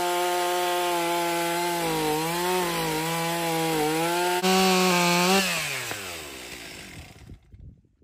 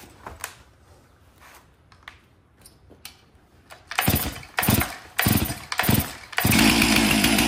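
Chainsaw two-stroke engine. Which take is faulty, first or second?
second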